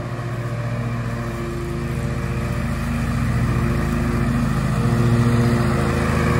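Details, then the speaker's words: 20-year-old John Deere L120 riding lawn mower with sharpened blades, at full throttle with blades engaged, mowing a strip: steady even drone pulling smoothly as it gains pace; normal running under load. "I don't know if you can hear me but this engine still runs pretty smooth okay I'm gonna go ahead and get it full throttle"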